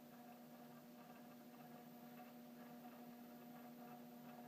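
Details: Downstairs mechanical door chime (no power kit) in a one-year-old house with a 16 V transformer, buzzing after a Ring Pro was installed with its power kit on the other chime: a steady low electrical buzz with faint rattle as the front plunger vibrates.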